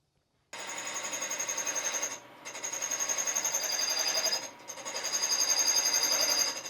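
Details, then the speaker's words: Cadillac 429 cast-iron head valve job: harsh high-pitched scraping rasp pulsing three to four times a second as the cutter roughs in a very hard exhaust valve seat. "a really hard exhaust SE here you can hear it these super hard exhaust seats I get them roughed in and then I come in here with the Windex to break the surface tension"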